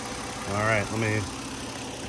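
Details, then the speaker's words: 2009 Kia Rondo EX V6 idling in engine bay view; low, even hum with no knocks or ticks, partly covered by a voice-like sound; normal smooth idle. "all right I'm gonna stand here for maybe 10 or 15 seconds let you listen to it at idle and then I'll rev it up a little bit"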